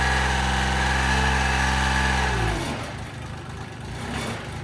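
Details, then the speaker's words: Mitsubishi L3E three-cylinder diesel, about 20 hp, powering a homebuilt vertical log splitter, previously zero compression in middle cylinder from a valve problem, after low-cost rebuild: steady diesel clatter with loose shaking rattle; assembly rattling and loose. "Sounds like crap. This is all rattling and loose."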